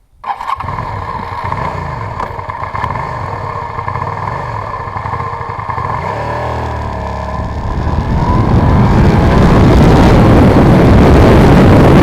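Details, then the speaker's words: Suzuki SV650 V-twin, whose leaky vacuum fuel-valve membrane flooded the rear cylinder, after clearing insect nests from the carburetor vent tubes: catches, settles into a steady lumpy beat, revs build smoothly with no knocks or misses. "they were soaked in gasoline so they were dead I removed them and now she finally ran"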